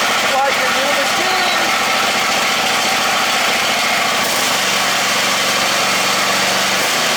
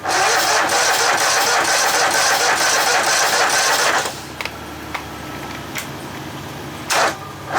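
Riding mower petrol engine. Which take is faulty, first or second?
second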